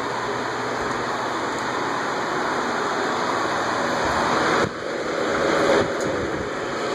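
Loud, steady airy rush with a constant faint high hum; several old fans running evenly with no knocking or scraping.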